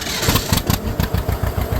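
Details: Newly bought tractor restarted shortly after a first start, in neutral with the clutch out, heard from the driver's seat. Strong, evenly paired two-cylinder pops with no misses; it is running cleanly.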